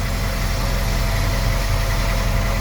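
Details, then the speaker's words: VW Polo R Line 1.2 TSI petrol idling after timing chain, spark plug and air filter replacement, no dashboard warning lights; low, even idle with steady beat and no misses, running smoothly. "but it's definitely running a lot better on now so I I haven't really celebrated this but I just I have done a time in chaining this first time ever and look at it now sounds really really nice"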